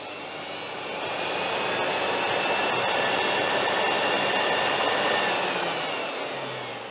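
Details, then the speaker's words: Zelmer Odyssey 1700W vacuum cleaner with a faulty variable speed control, 240 V confirmed at the switch: a high motor whine swells to full speed, holds, then winds down; the motor only runs in the top quarter of the slider travel. "so it's working but it's only working in the top quarter of the travel"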